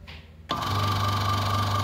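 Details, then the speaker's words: Aqua washing machine spin-dryer motor that is weak, shakes and hums: it starts with a loud low hum and a gritty, uneven whir turning left. Not smooth, with a rubbing sound, because the shaft is worn. "ini berputar ya ini putaran ke kiri J suaranya kurang halus ya karena asnya dia udah tergerus ya"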